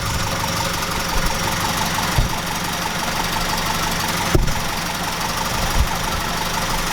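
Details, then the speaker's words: 1969 Ford Capri Pinto engine after renewing the camshaft finger followers, top cover gasket refitted; steady, even, silky-smooth idle with light, quiet valvetrain patter and no tapping; normal idle. "I guess that's what a pinto is supposed to sound like. Wow. Let's do that again. Wow. I'm well chuffed about this guys. This sounds silky smooth."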